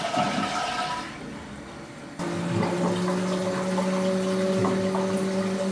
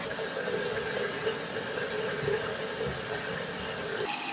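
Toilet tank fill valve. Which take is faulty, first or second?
first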